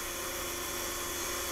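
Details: Rotary converter dynamotor, 12 V DC in to about 180 V DC out, running unloaded: steady, even high-pitched whir with no grinding or knocking; spinning freely and healthy.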